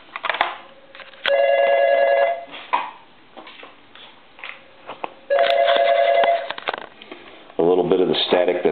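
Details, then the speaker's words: Radio Shack ET146 two-line telephone under repair: dial tone cutting in and out with crackle and pops as the line switches are worked; static from dirty, noisy line switches. "again you should be able to hear that static"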